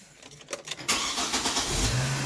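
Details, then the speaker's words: 2007 Chevy Trailblazer 4.2 that had been cranking weakly, suspected weak battery, during an alternator AC ripple test: short, brisk crank under a second, then catches cleanly into a steady idle; healthy cranking and start. "starts so much better so there's my ac ripple"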